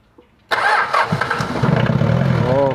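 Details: Mitsubishi 4D56 diesel after timing gear set one tooth advanced to fix hard start: catches at once on cranking and settles into steady, even idle clatter; normal diesel start and idle.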